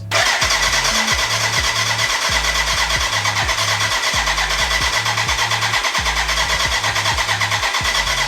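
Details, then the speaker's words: BMW K100 cafe racer, first start after build, choke on: steady starter churn about two beats a second, no firing; smoke from exhaust, first injector leaking, spark present; crank no start. "uh we had some smoke out of the exhaust um we have spark with you should have air"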